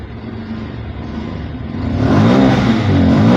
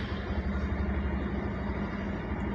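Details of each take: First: Bajaj Pulsar 150 BS6 fuel-injected bike, after the MAP sensor was made to work again (now reading about 14-15 inHg): engine revs up cleanly, holds and drops back to a steady, stable idle without stalling. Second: Bajaj Pulsar 150 BS6 fuel-injected single, 2215 km: idle soft and uneven, steadily dropping until the engine stalls; reaches about 2000 rpm then slows and dies, no pickup; later traced to a non-working MAP sensor.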